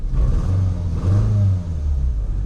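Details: 2009 Nissan Altima on first start, running rough and smoking: cold engine shakes and stumbles with uneven, lumpy low beat, like a tractor; misfire from a disconnected ignition coil.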